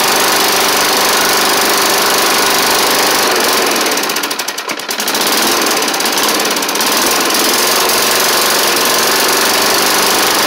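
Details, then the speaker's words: Snapper Hi-Vac push mower with a Tecumseh engine, first start after a carb swap and cylinder head cleaning: loud, uneven running with fast light tapping, about three to four a second. It smoked less than expected but doesn't sound good; the owner may add 20W-50 oil. "shoo well she is running it ain't the it it didn't smoke up as bad as I thought but ma'am doesn't really sound the best either unfortunately"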